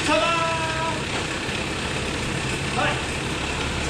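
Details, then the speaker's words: 1985 Daihatsu Rocky 2L petrol at its first run after months of sitting, after connecting the coil ballast resistor leads, with no coolant yet and old oil. Settles into a steady, even run with no misses; normal running, though the starter grinds. "she runs absolutely fantastic"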